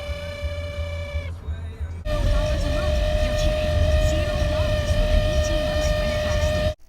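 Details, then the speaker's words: Toyota Sienna cabin blower motor, removed, gives a steady piercing whine-chirp that cuts out and returns, even after switching off; cabin filter clean, no debris; cause was loose stator windings, fixed by securing them and lubricating bearings. "I took the blower motor out of my Toyota Sienna as it sits making that awful freakin chirping noise"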